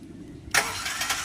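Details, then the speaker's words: Honda VTEC, cranking: starter bursts into sharp high grinding whir instead of turning the engine over; Bendix drive slipping off the flywheel, to be removed and replaced. "bendix drive nga"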